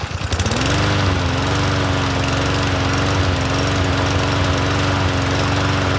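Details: Troy-Bilt TB110 push mower, listed as non-running, after fresh fuel and cleaned gas tank: settles quickly into a smooth, even drone with a steady low beat, no misses or surging. Normal running.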